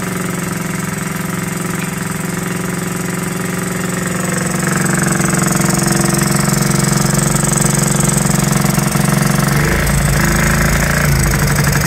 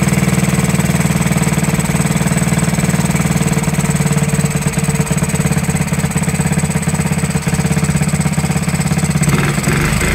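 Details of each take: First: Honda Z50 first start after 35 years, after fork repair: loud lumpy single-cylinder beat at idle, wavering with throttle, running rich; owner suspects carburetor slide needle set too high and air screw needing adjustment. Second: 1969–70 Honda Z50 after 35 years, ticks over evenly at a steady low beat without stumbling, popping or surging; clean settled idle, points and carburetor never cleaned.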